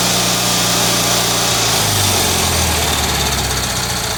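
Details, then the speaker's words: Kohler Magnum M18 twin on a test stand after complete service, warmed up, low idle set about 1200 rpm, 45 psi oil pressure: steady even idle, no misses, knocks or hunting; normal idle. "okay she's all warmed up i had a little raw fuel on the exhaust there right now we've got our idle idle set at about 1200."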